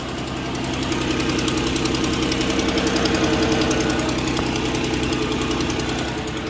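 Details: 2014 Ford Explorer, cold start: sharp regular puffing ticks about three or four per second over idle, exhaust smell from the engine; exhaust leak.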